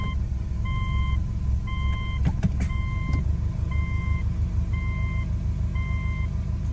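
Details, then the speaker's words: 2006 Subaru Legacy GT just after transmission fluid and filter change, warm after one trip round the block, previously dipping very low into gear: slow, low idle under a once-a-second chime; idle low but not stalling. "I don't know still feels relatively low but we'll see if it stalls out"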